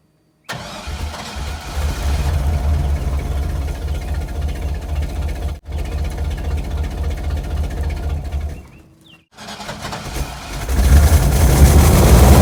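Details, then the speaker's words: Chevy Cheyenne truck, cold start after sitting 4–5 years, new battery and fuel, mic by the passenger-side muffler, owner recalls an exhaust leak: cranks, catches, rough puffing idle with ragged exhaust note, smoking; suspected exhaust leak. "Now if I remember correctly, this thing does have an exhaust leak, but I'll put you guys over here by the muffler and we will get a cold start."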